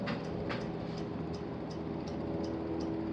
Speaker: what's happening is the fan is rotating around is hitting a wire nut inside of there and it's clicking on the wire nut it's a little too tight in there